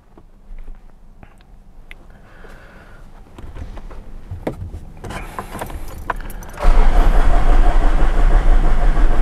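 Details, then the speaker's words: 2008 Ford Ranger 3.0L turbo diesel with intermittent hard starting and heavy black smoke, no fault codes: several seconds of slowly building cranking before it catches into a loud run; long-crank hard start. "see it's it's it's a little bit hard to start too it's a long crank at times it's hard to start"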